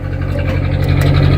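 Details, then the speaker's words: Atomic 4 inboard boat engine idling after being started unchoked; a steady, even, low thump with no misses or rattles. It sounds much better than when it would not start with all plugs in. "now we definitely got big difference if there's been some water here soon your job there we go so much better"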